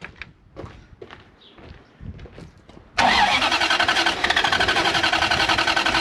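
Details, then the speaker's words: Toyota 1UZ V8 in a barn-find FJ40 Land Cruiser, after freeing seized injectors: fires straight up without throttle and settles into a smooth, even idle with no misses; normal start and idle. "sounds awesome hey i didn't have to give it any"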